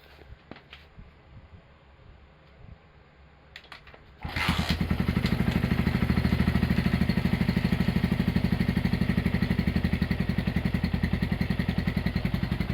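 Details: Honda GL100 (GLK 100) engine from Palembang after restoration, with CDI installed and a new tensioner blade and long block part: it starts at about four seconds and settles into an even, steady single-cylinder idle with no knocking.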